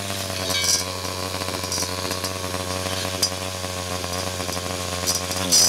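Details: 49cc/47cc pocket bike two-stroke after carburetor replacement for a non-running condition, low on fuel: steady high-pitched idle buzz with only slight wavering in speed, running cleanly and evenly.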